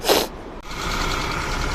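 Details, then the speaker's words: Suzuki Bolan petrol engine after a tappet repair that cured its misfire: a brief loud burst, then an even, steady idle with no stumble. Pulling the cylinder 3 plug lead now causes vibration, which it did not before. "अब गाड़ी में जो है वो missing नहीं है।"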